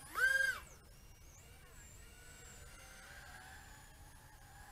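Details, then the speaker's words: Skyzone S140 140mm 3-inch brushless FPV racing drone on 3S battery, full-throttle punch-out: short loud high whine with squeaking from the motors, suspected to be because the motors are tight. "I can hear kind of a squeaking noise coming out of the motors yeah you can hear that squeaking noise yeah the motors are so tight that is squeaks"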